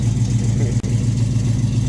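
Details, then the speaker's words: Normal idle of a 1967 Oldsmobile Cutlass with an LS swap after a gas tank swap: deep, even V8 rumble with a slight lope, speed holding steady; sounds really good, nice and steady. "sounds really good nice and steady"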